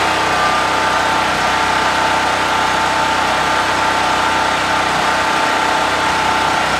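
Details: Brand-new Harbor Freight Predator 4375 W (3500 W continuous) generator, first start after choking, in garage: steady even mid-pitch drone with no misses or surging, running healthy.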